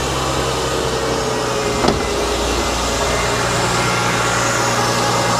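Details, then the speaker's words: 2005-2009 Mercedes-Benz E350 M272 3.5 V6 after air filter replacement, started to check for air leaks: steady, even idle, smooth low rumble, no whistling or hissing; secondary air injection pump heard, seems fine. "listen for any engine noises any weird whistling sounds which could indicate an air leak so all is looking fine to me"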